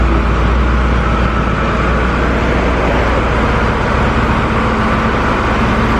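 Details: 1973 Ford Mustang V8 after fitting single-wire distributor, new plug wires, spark plugs and carburetor; steady deep rumble with even unbroken beat, no misses or knocks; normal running.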